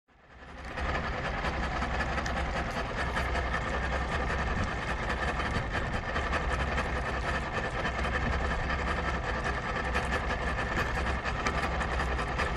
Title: 0718 rough idle but running